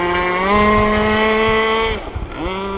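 Small two-stroke buzzes steadily, then bogs and dies down before picking back up, typical of a fat, rich mixture on first run.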